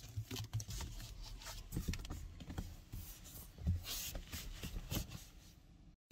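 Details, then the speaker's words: 2023 Kia XCeed GT-Line 1.5 T-GDI 160hp 7DCT, 9,000 km, cabin trim pressed by hand: quiet cabin with scattered short creaks and ticks from loose-fitting interior plastics. It is quiet while driving. "Niestety, jak słyszeliście, słychać sporo skrzypnięć, a i sama jakość niektórych plastików jest średnia."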